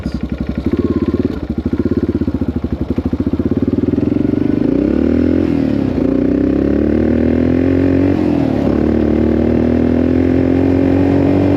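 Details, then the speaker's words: 1984 Yamaha XT600 single-cylinder on a desert wide-open-throttle test after swapping wrong jets for correct standard jets: still stutters and misses under load, breaking up less than before; owner suspects lean mixture, pops on throttle lift-off. "Yeah, it's still breaking up, huh? Not as bad."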